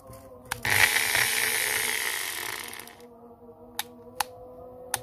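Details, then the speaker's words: Boss variable-speed hand grinder on test after carbon brush replacement: whirs up about two seconds, then dies into scattered clicks, running erratically; worn carbon brushes and a faulty switch. "must be a problem Since morning and it turns out not only is the Jamrud carbon wrong but also Hi, the condition of the switch is also problematic, like this, leave it"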